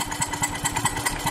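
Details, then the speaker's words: 1999 BMW E46 323i with M52TU engine in neutral, with the spark plug blown out of the stripped number two cylinder head threads. Rough running with sharp uneven popping about five times per second, possibly backfires. "i don't know what the popping sounds are it might be backfires at least i'm hoping that's what they are"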